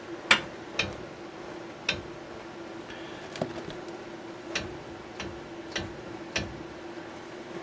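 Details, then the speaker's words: Ford Windstar with front-end noise at highway speed and over bumps: rocking the wheel gives irregular sharp clicks about every half second from a loose, worn tie rod end socket with no grease fitting, to be replaced. "I'll move the camera around a little bit and you can hear it too that socket inside there is bad and see the top there's no grease zerk so that's made to wear out"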